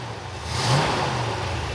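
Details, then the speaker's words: 1969 Ford F-250 with a 390 V8 (believed) and 4-speed, first start after sitting 21 years, a noisy lifter having come back: quick, smooth rev that settles with no ticking or knocking, quieter than before; normal rev. "It revs really smooth. It actually got quieter."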